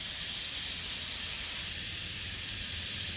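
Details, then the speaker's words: Long-sitting beater car, tire being inflated: loud, steady high hiss of escaping air, many bubbles visible; tire leaking badly. ">> it sounds like it's leaking really badly. >> I see a lot of bubbles coming out."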